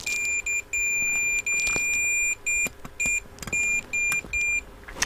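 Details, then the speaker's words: Hacker Autocrat RP33 radio, continuity meter across the tuning capacitor: clear high beep in irregular bursts as the vanes move, showing the plates touching and shorting. "I was trying to get the meter, but I'll leave the meter out of the shot because you can hear it when it's shorting."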